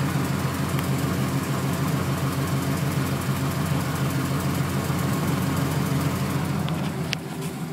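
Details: 1996 Camaro Z28 LT1 V8 at steady idle with light regular ticking about three to four per second from the valve train; cause unconfirmed, owner wonders about valve adjustment.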